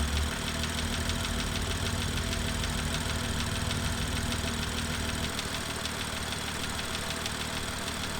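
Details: BMW M2 N55 engine, cold warm-up cycle: steady fast ticking about two a second over idle; loud valvetrain tapping from the exhaust camshaft area, later fixed under warranty.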